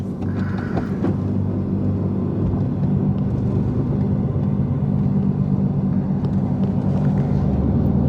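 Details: LS3 6.2 V8-swapped E46 BMW 3 Series cruising on the road after the differential was refitted roadside; steady low rumble with no grinding or clunking from the rear end, driveline sounds healthy.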